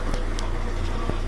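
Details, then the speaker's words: Whirlpool/Kenmore top-load washer that would not spin or drain, after motor coupler replaced: steady low motor hum and even drum rumble in spin, no grinding or knocking; spinning normally. "good education now you have the motor coupler back in there we can hear it that's great alright go to spin"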